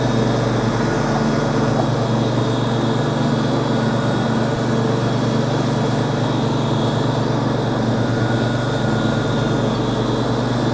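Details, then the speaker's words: Lawn tractor cutting 15–20 cm grass with the deck at mid height, after fitting new blades: strong, steady low drone with constant blade hum, no labouring. The deck sounds almost like an electric motor and cuts cleanly. "The mower deck got a different sound to it. It almost sounds like an electric engine or a motor."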